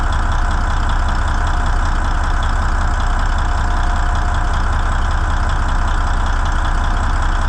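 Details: N14 Cummins diesel with a new ECM, manifold pressure sensor code 433 still pending: a loud, steady diesel clatter at an even idle about three beats a second, no stumble or hunting; starts far easier than with the old ECM; a normal idle.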